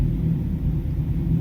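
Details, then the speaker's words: Possibly a 2016 Chrysler 200 on a lift, in gear with traction control off and the wheels spinning free with no hub bearing load. A deep, continuous low rumble matches the road-test noise; a transmission fault is suspected, not confirmed. "That is the exact noise I was hearing on the road test driving."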